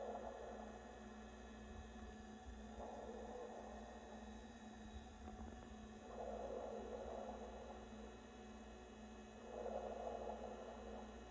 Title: NewAir 6" 7-Bottle Compressor Wine Fridge makes loud underwater gurgling sounds